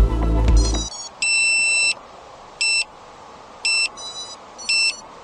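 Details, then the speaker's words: Used budget 5-inch FPV freestyle drone, battery just plugged in: clean rising startup chime, then evenly spaced double beeps about once a second; normal ESC arming tones. "that sounds right that sounds good"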